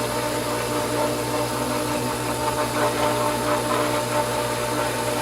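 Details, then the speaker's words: Pool pump at spring opening priming with air in the suction line, basket drained; steady motor hum with uneven gurgling and sputtering, only a trickle of water entering; a good sign priming is under way. "now you hear that that's a good thing because that means that we're on the way"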